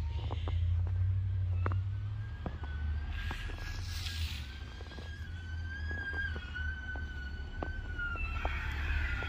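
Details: Truck moving while back-dragging snow during heavy snowfall of about three to five inches: a high, thin squeal wavers and climbs over low truck rumble near the wheel area. The owner calls it very squeaky; cause unconfirmed.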